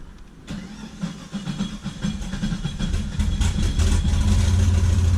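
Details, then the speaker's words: Duramax diesel idling at about 1,000 rpm, uneven lumpy stumbling beat with heavy shaking and low vacuum; sounds like a misfire, one side running colder, cause not yet diagnosed. "It does have, like I said, it sounds like a misfire."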